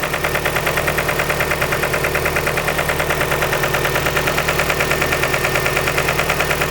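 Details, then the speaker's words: 2003 Nissan 2.5L after timing chain and water pump replacement, oil level correct: sharp steady tapping about three times a second over idle, following engine speed, first suspected as lifter buckets; sounds and feels like the camshaft contacting the valve cover. "It feels like and sounds like the cam is hitting the valve cover."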